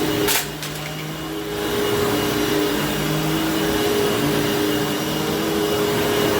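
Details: Hoover Fold Away vacuum cleaner motor after bearing replacement, previously showing bearing noise and a long wind-down: smooth, even motor whine holding a steady pitch with no rumble or dry bearing rasp; repair successful, healthy.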